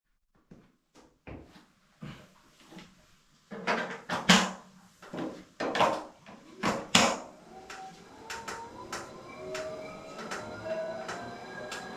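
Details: Wahoo KICKR Bike indoor trainer: sharp, uneven creaks and clicks, later over a faint rising flywheel whir; the noise issue has been reported to the manufacturer.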